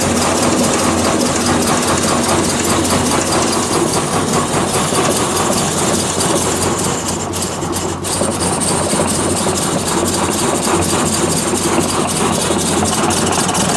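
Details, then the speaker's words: 1966 Triumph Spitfire, 1147cc rebuilt engine, ran fine in March: uneven, stumbling idle with an irregular lumpy beat and steady exhaust roar. Ignition timing checked right on the mark at number one TDC, so cause unknown; rough running. "well looking at that time and the time is right on obviously it didn't run very well but number one cylinder right at top dead center right on the Mark I think I might be stumped"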